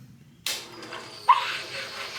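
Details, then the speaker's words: 2020 Ducati Panigale V4S rebuilt after a wreck, ignition on after fixing fuel leaks: short electric buzz settling as the lines pressurise, then a click; normal fuel pump priming. "I think it might just be filling up the system right well we've got no more leaks so fingers crossed"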